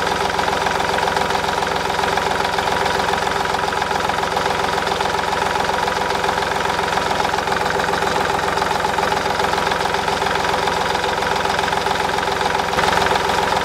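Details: 2010 Smart Fortwo 451 0.8 turbodiesel, 119,000 km, after fuel filter replacement with no air in the system: steady, even diesel clatter at idle with no hunting, stumbling or dying; normal idle.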